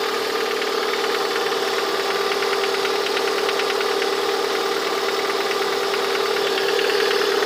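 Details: Lada 21126 engine idling with a quick, light, regular knock riding steadily over it, heard most clearly near the end of the recording; the owner asks what the sound is, source unknown.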